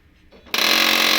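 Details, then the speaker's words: HP LaserJet M1005 printer noisy at power-on; after removing a broken part stuck by the paper pickup roller, a short harsh high grinding rasp starts and stops abruptly; a gear is still jammed out of position. "अभी भी फंसा हुआ है।"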